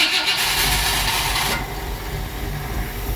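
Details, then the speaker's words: 1959 Ford Fairlane Galaxie 500: a harsh whirring grind for about 1.5 seconds while cranking. Valve-train noise was wondered about, but the starter acting up is suspected. It then ran well. "listen to that thing isn't it valve train noise oh I bet that's the uh starter I think the starter is acting up"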